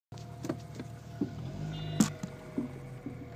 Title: Mc2 knocking / grating sound